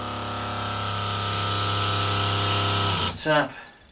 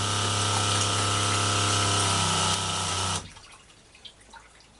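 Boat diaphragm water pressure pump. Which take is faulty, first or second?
second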